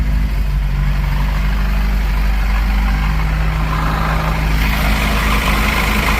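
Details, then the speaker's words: 1982 Porsche 924 Turbo after rebuilt fuel distributor fitted and timing set: deep, steady idle with even low rumble, no misses or knocks, idling slightly higher once air filter refitted, target about 900 rpm; normal idle. "Seems like it's idling a little bit higher after putting the air filter and everything on it."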